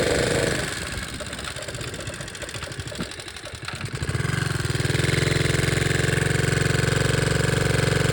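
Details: 1961 Honda 50 Super Cub 50cc single, engine rebuilt from parts in a crate, no battery, electrics unfinished: catches, then settles into a quick even putter about four beats a second, smooth and steady; healthy.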